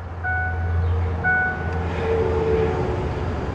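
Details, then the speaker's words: 2004-2011 Ford F-150 with manual climate control after replacing the blower motor resistor: quiet, steady low whoosh on lowest fan speed with chime tones; blower fan runs smoothly. "So we'll go ahead and turn the key forward and let you hear the fan. You can see it's already running on low."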